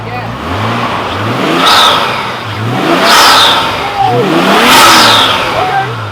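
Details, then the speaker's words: Nissan R32 Skyline after HKS air intake install, first startup: three sharp blips rising and falling cleanly over idle, crisp even pickup, no misses; normal revving. "That sounds so fucking good, dude. Holy fuck. That got some. That thing is screaming. That sucker sounds good."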